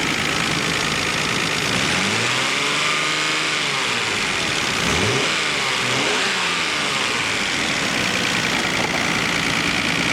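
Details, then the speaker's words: 1990 Nissan Skyline GT-R Nismo Edition, 150,000 km, starts without problem; smooth, even idle with light quick injector ticking, which is normal for these engines. "the engine started up without a problem at all runs smoothly and very very nicely you can hear the injectors ticking away that's normal for these"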